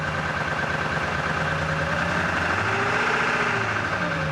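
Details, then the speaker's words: 1999 Ford F-250 7.3 Powerstroke diesel after fuel pump and fuel filter replacement; uneven lumpy idle with wandering beat and loose knocking, about three pulses a second; air still in fuel system. "a little gas it's gonna be rough for a while get that air out of the system"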